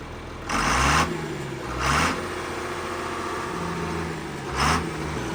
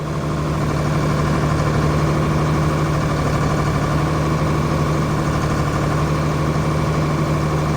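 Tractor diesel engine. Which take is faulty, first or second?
second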